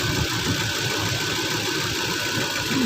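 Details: 2010 Toyota Land Cruiser that had no ignition, no crank, no start from a security-related fault: after repair the engine catches and settles into a steady even idle with no knocks or misses; healthy.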